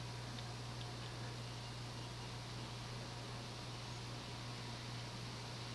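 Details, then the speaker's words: Early-1980s CEC-built Progress Lighting Apollo 38" ceiling fan, 52"-spec cast iron spinner motor de-rated by a lower capacitor, on solid-state speed control near medium: even airy whoosh over faint steady low hum, 60-cycle buzz barely audible, no ticking or wobble; normal running. "You can barely hear the buzz from it, or the 60 cycle hum. You can kind of hear it up close, but it's really not that audible."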